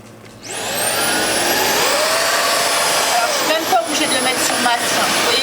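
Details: New stick vacuum cleaning fireplace wood bits and ash on max power; motor spins up within a second to a high steady whine over a loud rush of air; running normally.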